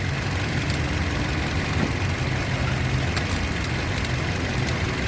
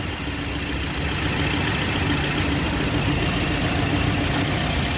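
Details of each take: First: 2007 Toyota Yaris petrol that had jerking, hunting and misfire: after fixing the faulty ignition coil, a smooth, steady idle with no stumbling, normal idle. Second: 2007 Toyota Yaris with engine running and AC on; customer reports jerking, hunting and misfire: steady idle rumble with an uneven stumbling beat of three or four pulses a second, a cylinder misfiring from a failing ignition coil.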